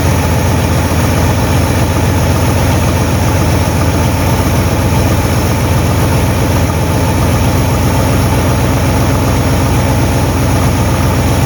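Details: 1958 Super engine on first start, untuned with unknown timing; loud, rough idle with uneven puffing chuff under a deep rumble from several exhaust leaks in a trashed exhaust system; heat riser flap rattling.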